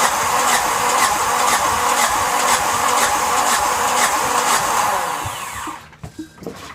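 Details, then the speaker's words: Yanmar SB12 marine diesel after fuel line repair, bled and primed with the prime bulb, at about 41°F: starter churns about two compressions a second for five seconds with no firing; air in the fuel line suspected. "Any air in a diesel fuel line will cause problems and the engine won't run. So we're hoping that was the problem that caused the engine to stop working on us last Saturday."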